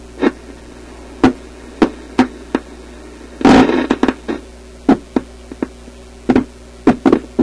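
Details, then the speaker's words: European tube radio after adding two new filter capacitors (old one still connected), powered through series light bulbs, on shortwave with an outdoor antenna: irregular sharp pops and crackles over a low hum; suspected shorting capacitor. "Sounds like a shorting capacitor, doesn't it?"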